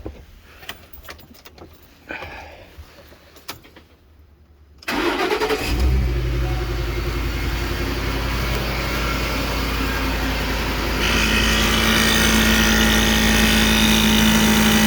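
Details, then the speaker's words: 2010 Ford Expedition EL Limited Max: small rear air suspension compressor hums evenly right after engine start and idle, raising the rear, after swapping the compressor to fix P1726 Check Air Suspension code; the old one didn't run. Normal operation. "Hear that little compressor running right away. The other one wasn't doing that, and you can already see it raising up."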